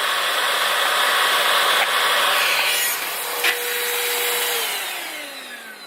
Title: Dibea C17 Portable Vacuum Cleaner rattling noise